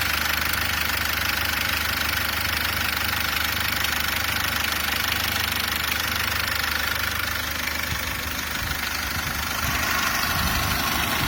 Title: Стук в двигателе SsangYong Actyon Sports 2, DTR2.0